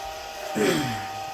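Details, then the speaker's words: Lemax Giant Swing Ride toy, before repair, running with the lights on: steady piercing high whine louder than the ride's music; the drive motor is too loud and needs replacing. "And you hear how loud that is? That's too loud. I can't even hear the song."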